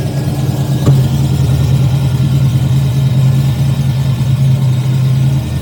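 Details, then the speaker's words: TVR Griffith 500 V8, first start after extensive work and winter storage, low on coolant, firing order just redone. Steady, even V8 burble with no misses or knocks; normal idle. "All right, that fired up pretty nicely. Seems like I got the firing order correct at least. Sounds like a V8."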